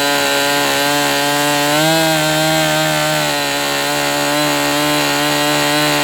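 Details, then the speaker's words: MDS 68 FS Pro four-stroke glow model engine, early break-in, high-speed needle set to 2.5 turns open. High buzz sags and wavers instead of climbing, won't pick up rpm, then dies; running rich. Owner suspects the glow plug, unconfirmed. "That's interesting. It wasn't sounding like it was going, you know, really picking up RPM. It just died."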